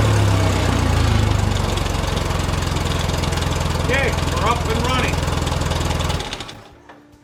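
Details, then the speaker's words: 1990 Ford Thunderbird Super Coupe, after four years in a barn with a no-crank fault caused by a bad battery giving low cranking speed: with a new battery it runs at a steady, even low beat with no misses, then shuts down cleanly. "we've uh figured out what was wrong put a battery in it also verified a lot of other things along the line"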